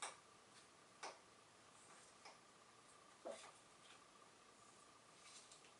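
Sparse, light clicks of a slowly turning freewheel, with no chain or pulley rubbing.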